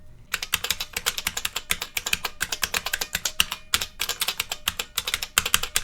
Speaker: And here is a typing test after adjusting all the springs.